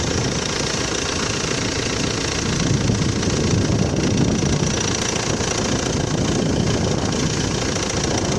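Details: Cold engine at idle: rough, uneven knocking of about three or four beats a second beneath engine noise; the crankshaft damper pulley driving the accessories has fallen apart, and delaying replacement may bend valves. Crank damper pulley knock.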